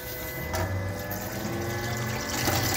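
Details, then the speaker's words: SEAFLO 56A variable-speed on-demand 5-chamber diaphragm water pressure pump, as flow is opened up: a smooth electric hum climbs steadily in pitch, speeding up and slowing down with demand. There is no cycling or chatter; normal variable-speed operation. "can hear it speed up, slow down again, speed up, slow down again. Speed up, slow down."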